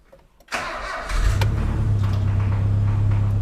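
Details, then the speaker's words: Nissan Hardbody with a simple turbo setup, no tune, fresh oil added, and a wideband reading going very lean. It cranks, catches and settles into a rough idle with a loose, irregular knock; rod knock suspected: engine knock on cold start. "That's rod knock."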